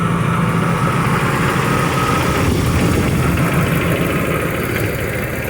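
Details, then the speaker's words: 2005 Dodge Ram 1500 at idle after catalytic converters were removed for a converter fault code and replaced with straight pipes. Leaking joints were sealed with exhaust joint-and-crack sealer putty. Deep, even V8 rumble with no ticking or puffing: leak-free. "Crazy as it might sound, it has sealed them up."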